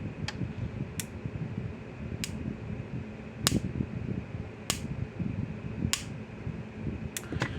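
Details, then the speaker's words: Repaired Power Wizard electric fence energizer, capacitor upgraded from 10 to 20 µF (now probably 3–4 joules), screwdriver spark gap from fence to ground: sharp snapping cracks about once a second over room hum; healthy spark output. "Put a screwdriver from fence to ground and just feel like a little spark gap here."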